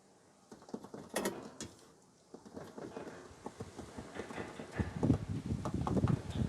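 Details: Loose, uneven dull knocks as the drum assembly of an 8kg Fisher and Paykel front-load washing machine is rocked by hand with the bottom panel removed; worn stabilizer lets it clunk, to be replaced.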